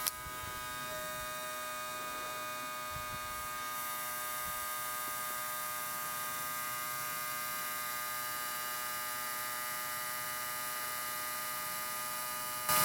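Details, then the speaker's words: ASV PT-100 compact track loader that stopped while forestry mulching, key on to prime the electric fuel lift pump, outlet disconnected and draining into a jar: steady, even electric buzz as the pump pushes out air and then draws fuel. Normal priming. "can hear the pump running hopefully you can hear that don't have any yeah it's pumping air out right now there it goes you hear the pump just pulled up some fuel now it's going to get a bunch of this air out"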